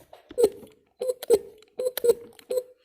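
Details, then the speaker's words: MG/Triumph fuel pump stroked by hand: a squeaky chirp on each stroke, about two a second, with a dragging feel. Varnish in the pump piston is suspected. "so it sounds like it's got varnish in the piston which is actually going to be down in here"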